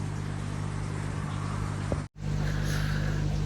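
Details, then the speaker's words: Replacement air pumps on a koi pond, swapped in for noisy old ones during very cold weather: only a slight, even low drone with no rattle or surging, very quiet; problem solved. "listening just hear the slight drone of the air pumps going away very very quiet hey problem solved happy with that"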